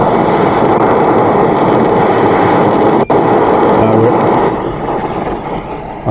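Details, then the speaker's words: 2014 Mercedes Vito W639 taxi, ultrasonic leak detector at the rear evaporator area: a loud, steady rushing hiss that eases off at the end; a big refrigerant leak from one of the rear air-conditioning pipes. "you get the idea there's a big leak i can't hear it visibly on my own but uh one of those pipes there is leaking"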